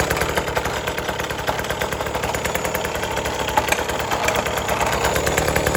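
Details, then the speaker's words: 1980s Cruise N Carry outboard after sitting about 20 years and then getting a carb clean and fresh gas, under throttle with the prop turning. The crisp, fast two-stroke buzz stays even and picks up cleanly; it runs healthy. "I don't know if you can tell from the video, but when I gave it gas, it spun up just as it should."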